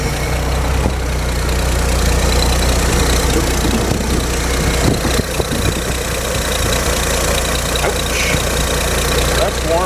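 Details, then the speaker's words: Carbureted engine on fresh gasoline with Marvel Mystery Oil, warm idle about 11 minutes after start-up: steady low rumble, even and unhurried under some background hiss, running very well as it should; normal warm idle. "yeah awesome i'm glad it worked out sounds like it's running very well as it should"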